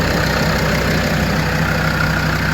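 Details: Land Rover Defender 130 TD5 diesel just started after new oil filter fitted, checking for leaks before warm-up: even steady idle, regular low beat, no knocks, misses or hunting; healthy.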